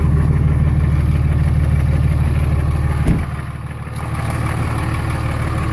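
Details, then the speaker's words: 24-valve Cummins diesel at about 330,000 km, warm at 89 °C, idling just after valve lash adjustment to cure a tick: smooth, even idle at roughly three beats a second, no ticking; sounds considerably better. "I can definitely tell sounds way better considerably better there awesome"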